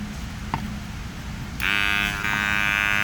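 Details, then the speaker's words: Car power window motor, right side, heard with the door apart: a steady high whine as the motor runs but its output gear isn't turning, so the window doesn't move; motor needs replacing. "wow you can hear running but nothing's turning"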